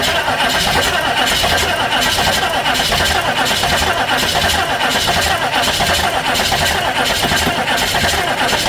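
Long, even cranking whirr that keeps going for the whole clip without the engine ever firing up; cranks but won't start.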